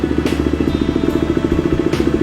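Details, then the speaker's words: KTM 390 single-cylinder idling after replacing the faulty stator (magneto) that caused highway stalling from no charging, and the starter overrunning clutch; steady, even idle with regular firing pulses, no knocks, charging voltage restored to 14 V. "來啟動一下，看它有没有恢復正常。看来電壓恢復了，14伏。"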